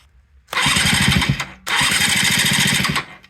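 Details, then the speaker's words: 1983 Yamaha CV80 80cc, flea-market find; starter cranked by jumping two screws to test the starter and whether the motor turns over, no start expected. Two quick cranking bursts, brisk even chug about ten per second: normal cranking. "all I'm doing is jumping these two screws that's what's causing it to uh turn over"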